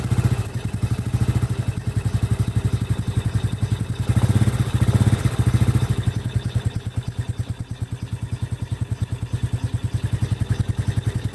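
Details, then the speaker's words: Honda Supra (Grand) motorcycle whose starter became heavy: quick, light ticking over a steady low idle from the cylinder head at low rpm, suspected dry valvetrain, oil flow being checked. Valvetrain ticking from oil starvation. "Nah itu suara terdengar kecil ya C ada di bagian silinder kopnya Coba kita pastikan pertama-tama kita pastikan oli itu naik apa tidak ya"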